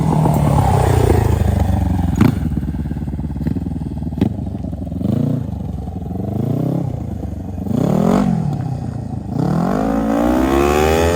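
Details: 2003 Kawasaki Ninja 500R twin in a mini bike, dual carbs, warmed up on a test ride (second gear, about 40 mph): hard revving with sharp cracks and pops between blips; backfiring, owner suspects lean mid-range, may recenter the needle.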